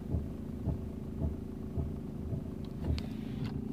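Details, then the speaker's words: Toyota (owner unsure if Camry or Corolla) runs but won't move, acting as if in neutral even in park; in reverse, foot off brake, engine hums low while a dull rhythmic thump about twice a second grows louder. Driveline/transmission fault suspected, not confirmed. "so let's go ahead and move it into reverse universe my foot is off the brake the car still not moving but there's a noise starting to develop if you can hear that but it's getting louder"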